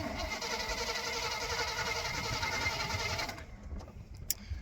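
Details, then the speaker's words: Old plow truck cranks about three and a half turns a second for over three seconds with carb cleaner sprayed in and the plug wire grounded, but never pops; no spark, and a spare coil and ignition module are to be fitted. "that is definitely no spark"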